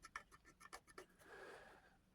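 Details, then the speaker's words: Mitsubishi L200 B40 engine teardown after oil starvation and bearing failure: rapid dry scratchy clicks as a fingernail drags across the crankshaft main journal and catches in grooves; crank scored with a step, mains failed. "So the crank's knackered. You feel that with my nail, you can hear it."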